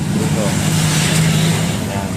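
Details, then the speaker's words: Honda Supremo 150 motorcycle engine, first thought to be clutch lining noise, runs with a rough, rattly mechanical hash over its low hum; cause found in the engine: a badly worn bearing with heavy play when rocked by hand. "yan Dian yan ang mga pesa niya pre Oh ang dahilanan ng ingay niya pre ito dito sa may makina yan"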